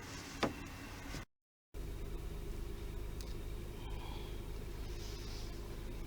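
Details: Toyota 3.0L/3.3L V6 idling after a new VVT-i oil control valve was fitted to cure shaking and misfire: a steady, even low hum with no stumble or shake in the rhythm, smooth and healthy.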